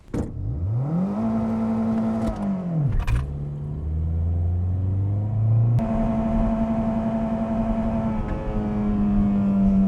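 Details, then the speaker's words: 2007 Toyota Corolla on E85 after front-end repair (CV axle refitted, engine mount tightened): revs rise and fall in neutral, then neutral drop into gear with only a light thump, zero pops; front end solid. "No more clunks, smooth as butter."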